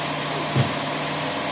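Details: Toyota Vios Gen 4 at idle with the AC compressor running. An even hum with one brief soft clutch bump, which is acceptable; repeated ticking would be abnormal. The clutch holds and cooling is good.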